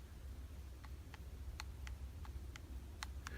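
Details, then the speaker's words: 2018 Daiwa Ryoga 1520 CC baitcasting reel. About eight sharp, light clicks at uneven half-second gaps in a quiet room as the side plate rocks back and forth on the frame: a loose side plate, a structural problem. "the side plate is rocking okay it is fixed over here and it's rocking back and forth like this okay and you can even hear the noise"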